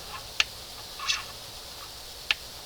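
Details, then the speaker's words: 1971 Johnson 20 hp outboard running in a water bucket after a throttle linkage slop fix: three sharp, dry, unevenly spaced clicks, a new clicking of unknown source. Air was seen in the fuel line, which later blew off. "This thing's clicking. Hear it. Go. Click. Click. Right there. I don't remember hearing that before."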